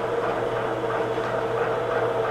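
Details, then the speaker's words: Newly built hobbing attachment on its first test run at about 250 RPM, no oil in the bearings: even, steady hum with a light whir, slight noise but no binding; normal running noise. "I can hear it a little bit there but that's not bad"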